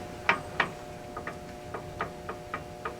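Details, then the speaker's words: Fairbanks Morse Model Z Style D engine with the head off, turned by hand: sharp clunks about every third of a second, some louder. Rod knock was suspected, but it is thought to be cam gear slack; the valves and seats were rebuilt and the cylinder machined. "You might hear that clunking. I think that's just the slack in the cam gear, especially because these valves were obviously rebuilt."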